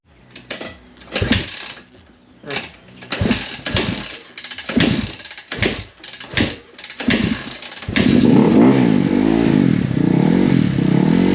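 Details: 2017 KX250F single after fixing a fuel pump issue: repeated hard kick-start strokes, then after about eight seconds it catches and holds a steady, crisp idle; running normally again.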